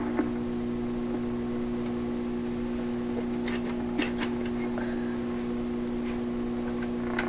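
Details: 1928 RCA Victor Model 28V radio, with shop computer equipment suspected as the noise source; removing the chassis ground quieted it only slightly: steady low hum with a buzzy overtone, unchanged throughout; mains hum source still not found.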